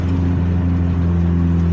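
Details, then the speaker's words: 1988 Honda CRX Si driving after a temporary hack-job muffler patch from the parts store: even, low, steady exhaust drone with no rasp. It is quieter than before, and the earlier heavy smoke at idle is gone; a new muffler is coming. "It's definitely not as loud. Maybe this is the way that exhaust is supposed to sound."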